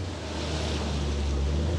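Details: 2007 Volvo C30 2.4 litre five-cylinder petrol automatic, after sitting for some time: low, steady, even idle with no knocks or ticks; smooth, healthy.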